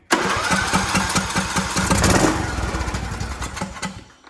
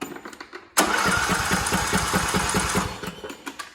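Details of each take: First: Craftsman T1700 lawn tractor, Briggs and Stratton engine, crank-but-no-start fault, after reopening the fuel line, air filter off, on choke: quick crank, catches and runs with an even single-cylinder chug. Normal start. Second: Craftsman T1700 tractor with Briggs & Stratton engine, choke on, spark confirmed: starter spins engine with even chugging for about two seconds but it never fires; crank no start, traced to a failed fuel shutoff solenoid.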